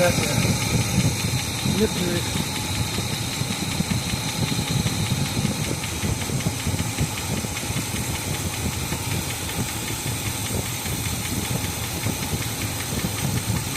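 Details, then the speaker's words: 1986 Chevy K5 Blazer after starter, timing, ground and carb work, timing around 4 degrees (target 8), vacuum advance unhooked: loud rough idle with loose irregular knocking over a heavy low drone; unidentified noise, cause unknown. "I don't know if it's running. I don't know what that sound is."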